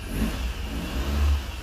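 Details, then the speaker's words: Three-cylinder mini truck started after new fuel and cleaning, mechanical fuel pump feeding through the filter: catches and revs smoothly with a deep even note, no misses, knocks or ticks; runs cleanly on all cylinders, normal start and rev. "sounds pretty good oh that's the bestest run in a while"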